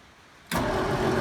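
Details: 1959 Ford Fairlane with Holley one-barrel carburetor, cold start after winter storage using choke and pumped gas; fires first try into a steady even run with no stumbling, clean start.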